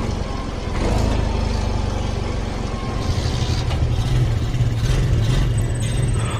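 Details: Yamaha Mio M3 fuel-injected scooter, previously stalling, lacking power and hard to idle, now idling steadily with an even low putter and no stumbling after setting the yellow screw to 2.5 turns and centering the TPS; faint music behind.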